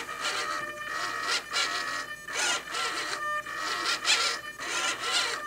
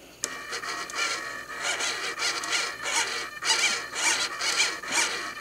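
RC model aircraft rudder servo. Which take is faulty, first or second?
first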